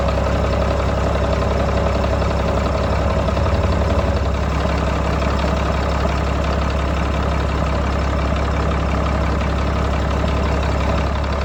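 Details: 1995 GMC TopKick cab-chassis truck with a Caterpillar diesel, first start after acquiring it: deep, even diesel clatter at a steady idle with no misses or knocks, a little exhaust smoke, good oil pressure; engine sounds healthy.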